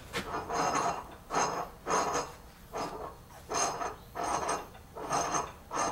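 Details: 1991 Ford F-250 5.8 L 4x4, Borg Warner 1356 transfer case reported stuck, was in four low: slow rhythmic dry scraping swells as shaft is turned by hand, something dragging inside; shards found near planetary gear pin.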